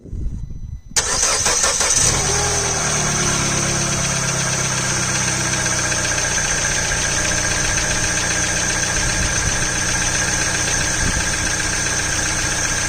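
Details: Citroen DS3 1.6 VTi petrol after water pump replacement, first start: cranks briefly, catches cleanly and settles into steady, even idle with no knocks, rattles or misfires.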